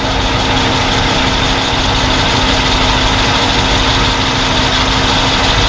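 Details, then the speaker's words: 1972 Mercedes-Benz 280SE 4.5 V8 idling after new in-tank fuel filter, Bosch electric fuel pump, fuel lines and repaired tank ventilation: smooth steady idle with faint fuel pump hum; no leaks, running well. "well it's idling nice and smoothly sounds very nice"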